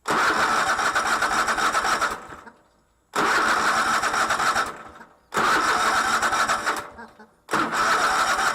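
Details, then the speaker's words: Cub Cadet LT1046 lawn tractor, runs rough, after spark plugs cleaned: engine catches and runs hard about two seconds then dies, three times; starts good then peters out, fuel supply suspected, not confirmed. "but it started up good to start with or to begin with and then petered out"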